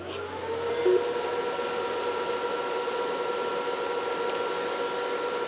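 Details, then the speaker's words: NEC P502HL-2 DLP laser projector after a phosphor wheel fan stall fault: constant smooth whir with a steady mid-pitched hum, no ticking or grinding. Temporary replacement fan now gives a PWM signal, the image comes up, and the fan is cooling normally. "so we do have pwm now and I have a picture also we have an image coming up Oh wrong way see so we do have a picture the fan is working it's cooling"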